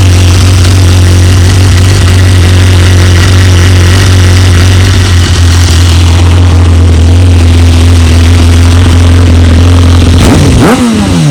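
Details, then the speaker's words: BMW S1000RR motorcycle, about 26k on it, runs great, exhaust fitted with decibel killer insert making it quiet; deep, steady idle hum with no knocks or misses, then clean rev; normal idle. "it is a little quiet with the decibel killer insert probably take that out at some point but yeah we'll just start it up"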